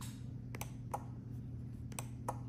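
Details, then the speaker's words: Telecrane F21-E1 style wireless remote wired to trailer lights (black power, brown ground, yellow up, green down): sharp single clicks about every half second in pairs over low mains hum as start, up, down are pressed; relays switching normally. "so now we hit start and we do up down up and you'll hear every time it clicks up down that simple"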